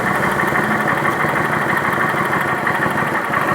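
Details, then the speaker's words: 2011 Kawasaki Vulcan 900 V-twin at idle after the pulley cover was removed: steady, even idle with a smooth, unbroken beat and no knocking, ticking or rattle; noise gone, normal idle. "a polia ao ar livre para ó cadê o barulho não existe mais barulho"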